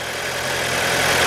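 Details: 2005-2009 Audi A4 Quattro 2.0 turbo, just started after rear timing chain and tensioner replacement with fresh oil: steady, even idle hum with no ticking, rattle or chain slap. Earlier noise suspected from low oil pressure, thin oil or oil filter. Normal idle.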